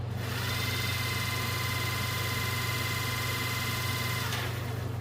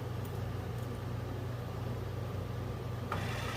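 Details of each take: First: Generator for a 1963 Ford Fairlane 260 V8 motoring on a test: steady even hum with a clean constant whine, slow and consistent, no drill-like noise like the previous unit; spinning healthily. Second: Original generator from a 1963 Ford Fairlane 260 V8, motored on battery: low steady hum with no rising whir, turning sluggishly with little kick; owner suspects brushes or armature.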